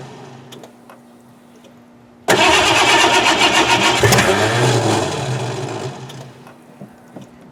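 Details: 1988 Ford Crown Vic that sat about 5 years, after draining old fuel, adding fresh fuel and cleaning the distributor cap: starter cranks about four beats a second, even, never catches. Failed compression test, gas in oil, oil in coolant.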